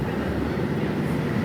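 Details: Ceiling-mounted split air conditioner indoor unit after repair: the fan motor had lost its support and shook the turbines, fixed by replacing the motor's rubber mount; now a steady, even rush of fan air, no rattling, running quiet.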